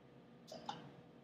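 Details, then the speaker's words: TEM (transmission electron microscope) column valve opened with column vacuum at 15: short soft hiss then single crisp click, status changes to ready; normal column valve opening. "can hear that hissing and a clicking sound the state has changed into ready"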